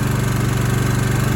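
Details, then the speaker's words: Kohler mower engine: fast, hard, evenly spaced hammering, about twenty beats a second, over a deep drone. Owner suspects valve slamming or pushrods and says all his Kohlers do it. Cause unconfirmed. "Man, them Kohlers sound like shit. I'm sorry, but every one I've had sounds like that. Unless you run them every day, but you leave them sit for a couple weeks and then you fire them up. It's nothing but hammering, valve slamming,"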